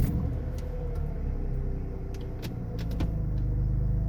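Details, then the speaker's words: BMW SMG after throttle sensor replacement and reseating the lock washer on the SMG fluid line: engine rumbles steadily while gear changes give only short crisp clicks with no buzzing, normal SMG shifting. "i'll get the click not the buzz and now just the click not the buzz that you usually get from the shifting which i was having an issue with that before"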